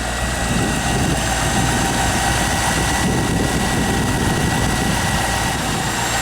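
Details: 1998 Corvette C5 V8 first start after harmonic balancer replacement, engine not run for a while, just started and cold with oil pressure pegged: steady even low rumble, no knocks or ticks; healthy idle.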